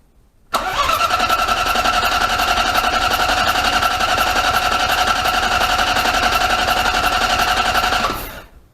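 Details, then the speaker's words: 1998 Ford Ka, rebuilt Endura 1.0 8v engine before first start, oil pressure gauge fitted: starter cranks engine at an even pace, about four compression beats per second, no firing; healthy cranking to build oil pressure, which rose. "como vocês viram aí eu dei lhes motor girar o motor de arranque que eu queria ver se ia levantar a pressão de óleo"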